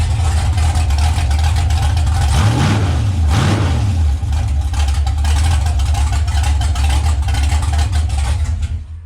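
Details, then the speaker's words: 6.0 naturally aspirated V8 build after wiring, relay-fed fans and throttle cable repair: steady lumpy idle, then two clean revs dropping back smoothly; throttle cable now working correctly, crisp response. "key off power is everything should so that's working great and you can hear that the throttle cable is now working correctly"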